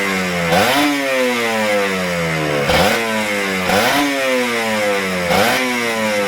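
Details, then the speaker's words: Kawasaki Ninja RR 150 two-stroke with heavy pull, stuttering, and the super KIPS power valve sticking: blipped four times, revs rise briefly then sink slowly and unevenly instead of returning to idle. "jadi kendala motor ini tarikannya berat dan motor itu brebet suaranya juga gak enak ya terus super kip-nya juga macet di RPM sekian turunnya itu lambat ya terus gasnya juga nahan"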